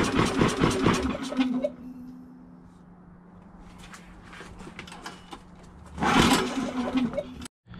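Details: Champion 3400 W inverter generator after carburetor cleaning and reassembly: it starts and keeps running, but only at a low, weak speed that never climbs. It fails to gain rpm.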